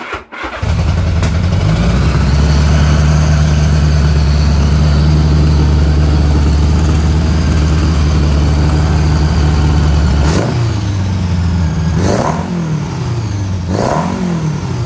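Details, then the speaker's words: Honda Goldwing GL1000 cafe racer, warm start after carb rebuild, carbs not yet tuned, fires straight away into a steady deep low idle; quick throttle blips rise and fall cleanly, no misses. "uh here we go uh it's warm it was running so it's not a cold start but it helps you turn it"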